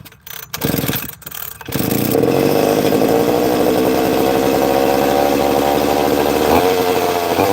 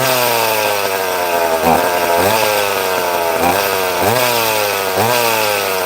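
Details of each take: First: Two-stroke chainsaw started after a few pulls: buzzy, slightly uneven idle that hunts a little and sounds like an air leak, but the trigger was being held in to make it idle; erratic idle. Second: Chainsaw cutting wood: strong high scream dipping and recovering about once a second as it bites; cuts cleanly and holds revs.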